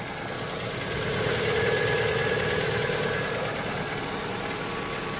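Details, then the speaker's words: Lada Vesta after a cold start: hydraulic lifters and then piston noise fade out, leaving an even, steady idle with soft light ticking. Runs smoother since new spark plugs with a smaller gap; 5W-30 oil changed at about 67,000. "принципе то двигатель очень ровно работает вот саде когда я поменял свечи движок реально начал ровнее работать"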